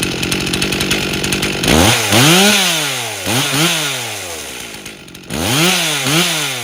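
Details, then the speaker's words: Rebuilt 1998 Stihl 044 Magnum chainsaw with 25-inch bar after carb tuning (low about 2700 rpm); blips sweep high and drop back with slight burble, four-stroking on the high end, a healthy rich high-end tune. "as I was throttling it up it was four stroking on the high end which is what we want to see"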